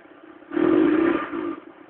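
Short cold blip of the throttle with a rough, clattery edge over the engine note; something is off when cold, cause unclear.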